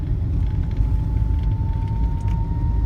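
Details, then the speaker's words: Volvo with 406k miles, steady howl just under 1 kHz over heavy road rumble at about 20–25 mph, pitch creeping higher; seller claimed it is the turbo, cause unknown. "my Volvo makes this howling sound at about 20 22 22 25 miles per hour it makes this howling sound here it is become walls full moon"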